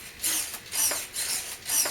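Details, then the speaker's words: Elevator servo on a large Airfield P-51 RC plane, powered with the kit transmitter and six-channel receiver, gives sharp ticking bursts with each elevator stroke as it strains; something in the linkage is binding and will be checked. "elevator I got something binding in there you can hear it kind of clicking"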